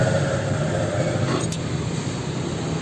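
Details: Old Toyota Fortuner 4x4 with no AC cooling; broken AC compressor magnetic clutch centerpiece plate replaced with new: engine idling smooth and even with compressor running, no rattle or slipping chatter; clutch working normally, AC cold again.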